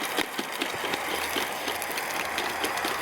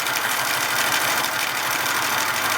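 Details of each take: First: Hornby G100 Stephenson's Rocket live-steam model after repairs, pulling a coach with wind possibly affecting the burner: fast, uneven chuffing at about three beats a second over a hiss; labouring and likely short of steam. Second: Hornby G100 live steam Stephenson's Rocket model after repairs, running on the bench under gas-fired steam: quick, even chuffing under a steady hiss, no unnecessary noises from cylinders or valves; smooth normal running.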